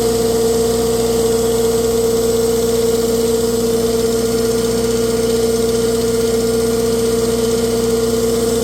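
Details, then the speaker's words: Tractor on PTO dyno under load, ~500 RPM PTO, pulling 35 hp (rated ~36); steady loud drone with slightly uneven beat and faint occasional miss, still to be checked; exhaust manifold cracked, previously JB-welded. "Sounds like it got a little bit of a miss. Have to check into that."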